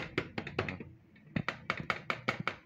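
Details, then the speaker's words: Honda Supra motorcycle seat rattling while riding, rubber seat cushions already replaced: sharp hollow plastic clacks about five a second; cause was loose seat bolts at the storage compartment corner, fixed by tightening. "udah diganti dengan karet yang baru kok masih berisik itu masih masih bunyi seperti ini ya"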